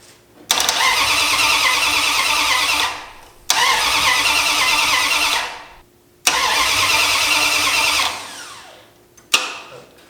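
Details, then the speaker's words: 1972 Dodge Challenger dune buggy, first fire without manifolds or headers, after adding an electric fuel pump and rotating the MSD distributor 180°: fires straight up to an even roar for a few seconds each time and runs cleanly. "Hey, might help turn it on. That sounds awesome. It runs."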